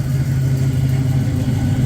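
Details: 1966 Pontiac Catalina Wagon V8 after power steering pump replacement, steady deep idle rumble with no squeak, whine or knock; some smoke expected from spilled fluid on manifold; alternator reads 13 V.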